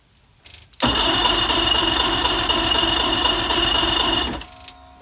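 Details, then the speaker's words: Sea-Doo Speedster with a rebuilt 2000 Mercury 2.5 V6 210HP engine, compression 123–127, with the fuel pump audibly running: steady fast cranking about four beats a second for three seconds with no firing. It cranks but won't start, with no spark. "You saw me, I turned the thing over and no spark."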